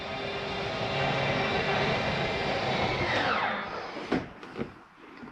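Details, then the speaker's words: 2022 Jayco Eagle 29.5 BHDS, slide one (bedroom wardrobe slide) retracted from the control panel: steady motor drone for about three seconds, then winds down and stops with a few clunks; normal slide-out retraction. "that's gonna bring in that bedroom wardrobe slide again very important make sure nothing between that slide and the bed"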